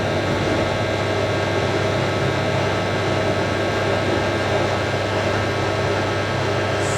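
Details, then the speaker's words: Hotpoint 9530 Electronic 1000 Plus washing machine, after repair (burnt neutral wire on mains lead replaced), final spin with twin bedding load: smooth, continuous whir with no thumping, banging or grinding; well-balanced, perfectly smooth normal spin. "Good. That's perfect smooth. That is probably the smoothest spin this machine's ever done on YouTube. I like that."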